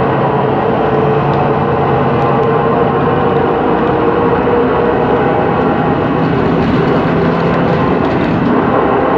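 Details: 2013 MAN Lion's City CNG bus, MAN E2876 LUH03 EEV turbo engine, ZF Ecolife 6AP1400B 6-speed, cruising; steady mid-pitched whine over road and engine noise from the faulty, noisy differential: differential whine.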